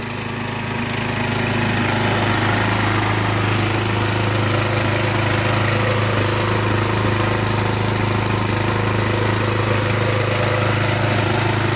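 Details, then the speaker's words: Warmed-up small engine from the saw restoration, started with choke, oil checked fairly clean: steady even idle, smooth low beat, no knocks or misses; starts right up and sounds good, slight smoke at first start; normal idle. "Sounds good. Well, she starts right up."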